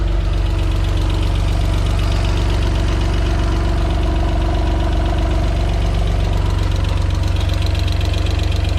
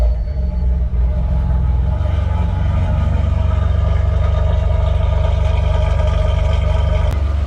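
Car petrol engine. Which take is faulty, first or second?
first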